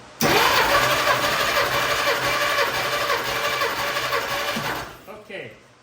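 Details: 1952 Dodge Wayfarer six during a compression test: starter cranks it at a steady, even pace with no stumbles or uneven beats; compression sounds even, gauge reading about 145–150 psi per cylinder, consistent.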